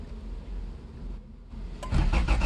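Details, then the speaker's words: 1978 Honda CVCC Accord hatchback found in a junkyard, in neutral on its existing battery; quiet, then a short burst of slow, heavy cranking pulses; the engine turns over but never catches: cranks but will not start. "Nah, she's not gonna start. She's not gonna start, but hey, she does crank over."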